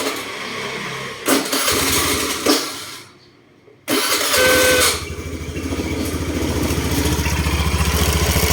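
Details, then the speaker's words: Honda Scoopy i scooter just after starting: loose uneven clacking, about three to four knocks a second, from inside the CVT/belt-drive case at idle; owner suspects a broken bearing or a faulty pulley/belt drive. "เวลาสตาร์ทเครื่องแล้วมีเสียงดังออารอารออารอยู่ด้านในนี้นะครับเดี๋ยวเราจะมาถอดดูนะครับว่ามันเป็นอะไรครับ"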